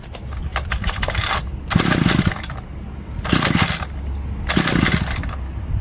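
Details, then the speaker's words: Homelite two-stroke string trimmer, found in the garbage, restarted on fresh fuel after old bad-smelling gas: it revs in short bursts, about three in six seconds, and falls back without holding speed. Needs carb clean, new filter, probably gaskets, fuel, and the missing air filter and cover. "So, it looks like the home light's going to be a carb clean, new filter. probably new gaskets and definitely new fuel and probably a new air filter cover"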